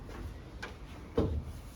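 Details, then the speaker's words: Mk1 Ford Escort, Cosworth-powered, rear end previously hit, no boot seal fitted: light tap then sharp thud as boot lid shuts, still striking the corners despite hinge adjustment; cause not yet identified. Boot lid striking body. "So I've managed to rectify that, but you can hear it still hitting."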